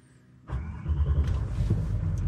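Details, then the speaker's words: Range Rover L322 4.4 TDV8 diesel at about 200,000 miles, after an oil, air filter and diesel filter service with ignition cycles to prime the fuel: a brief crank, then it starts straight away into a steady low rumble. A clean start. "we go started right up not a problem in the world"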